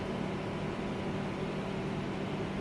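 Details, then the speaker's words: 2023 Toyota Prius hybrid running on battery only, engine not yet started, heard from outside: steady low hum and airflow rush that the owner attributes to the air conditioning; normal AC running in EV mode. "That's primarily due to the air conditioning, I'm sure. In a couple of seconds or so, it should start up."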